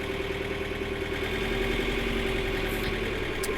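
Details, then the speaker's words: Tractor diesel just after a cold start on a not very cold day: loud clattery idle that quietens as it warms, as it does every start. The owner thinks the computer adjusts timing for easier starting, then resets it when warm; considered normal. "this thing is exactly like my uh massive ferguson tractor when you crank it it's extremely loud and then it quietens down over time"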